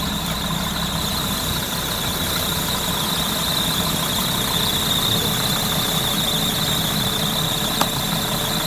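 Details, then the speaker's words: Car running after driving through water or in wet weather, year-long recurring issue: constant high-pitched squeal from the accessory belt or pulleys without letting up; suspected wet slipping belt, cause not confirmed. "после езды по воде или в сырую погоду часто скрипы идет спад ремня роликов там и и тому подобное"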